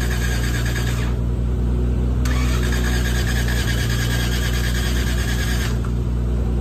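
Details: Old Toyota Crown: starter churns steadily about four beats a second, never fires; crank no start, owners suspect timing, carb or compression, battery weak, not confirmed.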